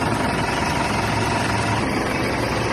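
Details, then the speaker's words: 2010 Mitsubishi Montero Sport diesel about 3 minutes after valve cover gasket replacement and EGR cleaning, idling then revved: steady even diesel clatter, no misses or knocks, no oil or diesel leaks; normal idle and rev. "yun guys, mga idol, ayos na ayos yung andar niya pinong-pino na."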